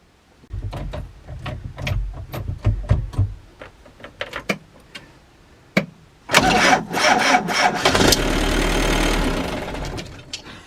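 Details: Frankia A595 motorhome with an old Nissan diesel, abandoned in bushes over 12 years, starter just reinstalled: scattered clicks and light cranking for a few seconds, then it catches and roars into a rough, loud run.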